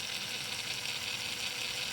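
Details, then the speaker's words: Traxxas TRX4 RC crawler with both drive shafts removed: a thin, high-pitched gear whir with fine ticking, louder under load, traced to a dried-out transmission; nothing damaged, and greasing the gears cured it. "But I can still hear the knocking sound. Both shafts are removed. There's still a bit of sound, so I think when it's loaded it's getting louder, so I just have to open up and see."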